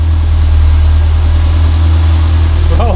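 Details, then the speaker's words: Renault 5 GT Turbo at steady idle, even beat with no misses or hunting, after mice chewed through fuel and boost lines causing very rich running; VE table checked over Bluetooth, now running clean and back to normal. "to normal again so yeah it's really sweet now happy days mate"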